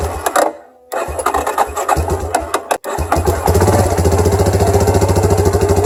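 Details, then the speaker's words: Yamaha Warrior 350 first start after full top end rebuild (new cam, rocker arms, bearings, piston, valves), a day after threadlocker set; cranked first with plug wire off, then fires and settles to steady even single-cylinder thump around 3.5 beats per second; healthy. "Okay guys, it's been a day since we last filmed. I think the thread locker has had time to set, and we're ready to do our first start."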